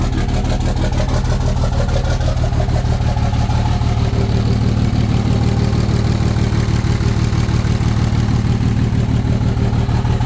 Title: Rough Idle